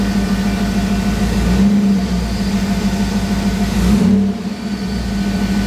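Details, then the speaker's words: Jeep TJ on newly installed ACES Jackpot EFI replacing MicroSquirt: free-rev blips pick up crisply and settle back smoothly without stumbling; more responsive, no longer shakes when revved as it did before. "it's more responsive I think not bad doesn't like before you hit it and it all shakes now it's really smooth"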